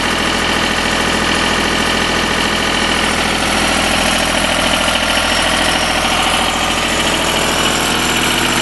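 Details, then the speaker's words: Deutz diesel engine driving a Lima generator, first start-up after repair, at roughly 1,800–1,850 rpm: steady regular drone with no knocks, though it sounds slightly slow to the owner. Normal running, slightly under speed. "Sounds a little bit slow yet. So that's probably about around 1850 or so."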